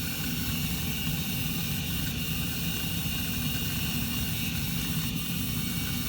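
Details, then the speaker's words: Carrier gas furnace after igniter replacement and flame sensor cleaning: smooth, constant whoosh of the induced draft and blower with no clicking or cycling; burner lit, operating normally. "it's on and blowing I can hear it just this whole induced draft"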